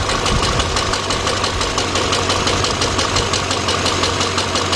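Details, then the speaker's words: 2006 GMC Envoy XL Denali 5.3 after installing new torque converter bolts with thread lock: the knocking noise is gone, but a rough, uneven idle with a faint tick about three times a second remains. This misfire is suspected to be coils or wires. "car still got a misfire but that noise went away"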